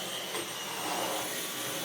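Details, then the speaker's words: Dyson V12 Detect Slim Absolute cordless stick vacuum, which had been clogged and kept pulsing and cutting out, vacuuming carpet after clearing and now working and picking up dust: steady high whirring suction, even airflow, no surging or cutting out. Running normally. "But that is definitely now working. And that has picked up quite a bit of dust from the floor."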